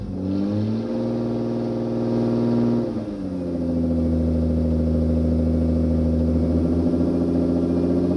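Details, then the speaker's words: Toyota MR2 with swapped 3VZ V6: engine runs with a steady drone, sags near three seconds, then limps unevenly and wants to cut out; it starts only sometimes, then stalls, and the owner suspects fuel delivery. "so it will start sometimes and then it runs for a little bit and then cuts out and then won't start again"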